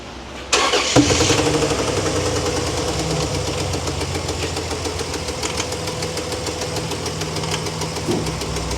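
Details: Dodge Dakota 3.7 towed in with a blown engine, started with no water pump or accessory drive fitted. It catches hard and settles into an uneven, lumpy idle with irregular knocking about two beats a second, heard from one side of the engine.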